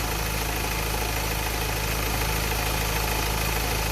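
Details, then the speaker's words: Ford Ranger 2.2 turbo at idle: fast, regular light tick about three per second, sounds like valvetrain; owner unsure if lifters and hopes Seafoam helps; a turbo-area whine is also present, engine runs normally otherwise. "So I'm not sure if that's those are the lifters making that sound."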